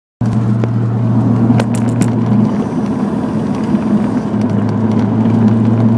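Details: Nissan 300ZX at idle: a low steady buzz sits over the idle, drops out for a couple of seconds, then returns; the buzz's source is unknown.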